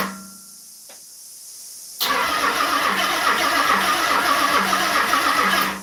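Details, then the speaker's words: Car being started after a 3-year build, battery low despite charging: starter drags the engine over slowly, about four labouring beats a second, without firing; slow cranking from weak battery. "All right. sound like it's really struggling to wind it over too."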